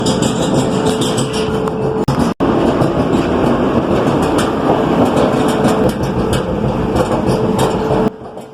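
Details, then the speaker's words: Clothes dryer that still heats and dries runs with a loud, rough rumbling drone and steady hum; cause is a seized drum support roller (pulley wheel holding the drum), which must be replaced. "secadora está haciendo un ruido bastante molesto. Y mira, aquí tenemos la causa de ese ruido. Esa polea o rueda que sostiene el tambor. ha estado muy atascada o retrancada y por ese motivo tenemos que cambiarla."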